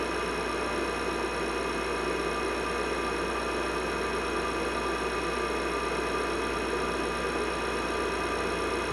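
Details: IBM 5150 PC from 1982 after cleaning and reassembly, with added 10 MB IMI hard disk, MFM controller, upgraded power supply and NEC V20 CPU: steady hum with a faint fan whine and drive spin, no clicks or grinding; boots normally to a blinking cursor.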